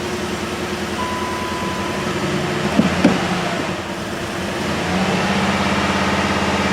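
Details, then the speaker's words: Jeep Liberty 3.7L auction car with #4 and #6 exhaust valves found not opening. Right after start it runs rough with a lumpy, stumbling idle and misfires heavily. "So it does start and run. It is misfiring like crazy."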